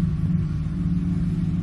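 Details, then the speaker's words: 2007 Ford F-150 5.4L 3-valve V8 at idle with a P0302 dead misfire on cylinder 2 (second back, passenger side) from a loose, fouled spark plug: a low, lumpy, uneven rumble with a strong fuel smell. "you can see right now it's doing it constantly it's getting deeper you can see that's a dead misfire it's pretty bad smell of fuel and everything"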